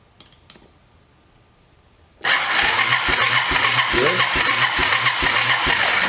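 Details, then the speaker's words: Abandoned Yamaha 250cc ATV (Bear Tracker), said to have run when parked, has oil and only weak spark: starter spins an even three-plus pulses per second but never fires; owner suspects key switch or bad ground. Cranks but won't start. "had one little speckle it sparked one time and stopped so is it's something this key switch or I'm not getting a good ground motor sounds good though it's got oil in it it's got a spark but it's real weak"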